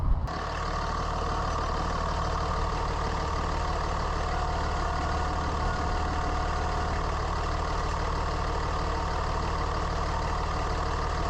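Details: 3rd-gen Ram Cummins diesel at idle, truck runs hot around 210: constant howling tone over the idle, not pulsing with firing. Pumps and turbo ruled out by stethoscope; cause was a bad alternator bearing.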